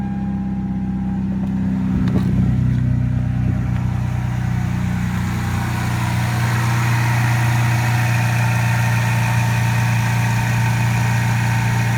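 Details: 1995 Toyota Supra started after 7 years sitting, following oil change and new battery: cranks about two seconds, catches cleanly and settles into a steady even low idle with no misses; normal start and idle.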